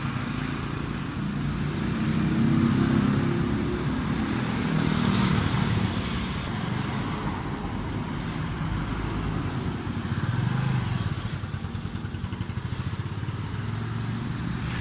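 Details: Honda CT125 (5-speed) after a PMS service, done for hard starting in the morning: single-cylinder thump rises and falls smoothly with the throttle, with no misses or knocks. Running normally.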